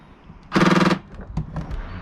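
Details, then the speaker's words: 2012 Range Rover Evoque tailgate latch motor: half-second harsh buzzing rattle as it tries to open, then stops; tailgate won't lock and seems out of alignment, electrical fault suspected. "hear the noise when it tries to open so i think there's something electronically wrong with this"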